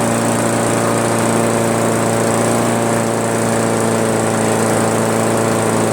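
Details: Craftsman push mower, Briggs 158cc, after cleaning carburetor and adjusting the fabricated governor spring tension: steady, even drone around 3000 rpm with no hunting or misses; governor holding speed properly.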